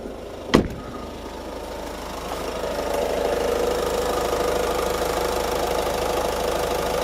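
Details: 2015 Ford Focus Mk3.5 120bhp diesel started with the bonnet open after the battery was disconnected, to reset trim values: a thump, then it catches after a couple of seconds and settles into a steady, even idle clatter with no odd knocks.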